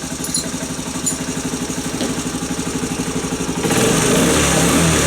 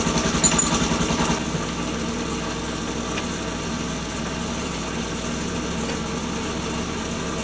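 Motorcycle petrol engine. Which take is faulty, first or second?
second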